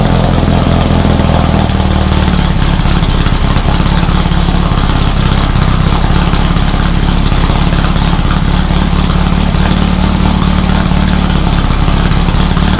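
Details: Rebuilt VW 1600 flat-four in a Baja Bug, first start after a two-year teardown, after retarding over-advanced timing: steady, even low putter at idle with no misses or knocks; it fired up and ran pretty good.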